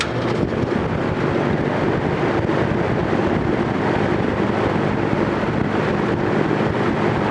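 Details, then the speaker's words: Vintage General Electric 3-speed reversible box fan, freshly oiled, running on high: steady, even rush of air with no ticking, scraping or rattle. Normal high-speed running. "that's medium that's almost like it was on high before and now we'll go to high and kick in the afterburner"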